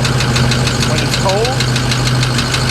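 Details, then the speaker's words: Ford E350 4x4 van with a 6.0 Powerstroke diesel, cold start: a quick, regular tick over the diesel clatter that mostly subsides when warm. Compression is fine, so a cracked piston below the compression rings is suspected. Unconfirmed. "it's warm that noise actually subsides and mostly goes away but it's still definitely there so we're pretty sure we have a crack piston below the top rings below the compression rings as our compression or relative compression is spot on"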